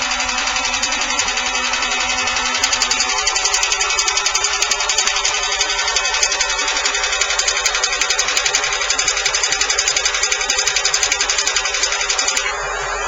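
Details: Fast, even tapping about four times a second over a running engine; valve knock, likely a noisy valve train, though nothing confirms the cause.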